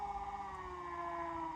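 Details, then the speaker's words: HP2001 brushed DC motor coupling dyno kit, speed control ramped to max; steady high-pitched scream with several clear tones, sagging slightly in pitch, motor seeming to stall then running. Drive whine, cause unknown. "I mean, I guess you could tell me, number one, what is the noise? Like, why does it scream? I don't know."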